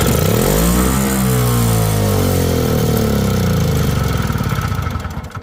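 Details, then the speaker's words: Curbfind Yard Machines snowblower test run on half choke: revs surge up then sag and wander, with uneven chuffing as it nearly stalls. The owner suspects snow is getting in. It previously died after about 3 minutes, which he believes is a common concern on this model. "I think she might be getting some snow in her, but... yeah, she's definitely acting up a little."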